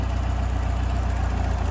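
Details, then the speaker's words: Ford Fiesta RS Turbo, stored 17 years, warm at temperature after cam belt change: steady low idle with even pulse, no lifter tapping now the lifters have refilled; faint puffing tick from a small exhaust manifold blow, head due for rebuild. "Got a little bit of a blow on the manifold, but the head's coming off like we said."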